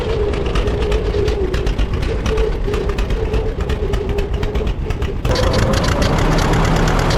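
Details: 1950 John Deere D, reassembled after fixing a corroded exhaust valve and a blown head gasket: slow two-cylinder putt near four beats a second, revs jump sharply at a light throttle touch; owner suspects the governor, unconfirmed.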